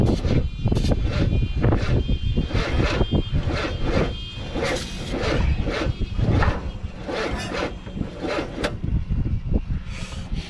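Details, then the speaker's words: 1969 Chevy C10 engine, battery connected and fuel pump working: long churning crank with uneven pulses that never catches; hard starting. "Well, I don't know why this motor has such a hard time starting. What's up? Sounds like you don't have enough battery. Oh, it does. It's just very hard to start."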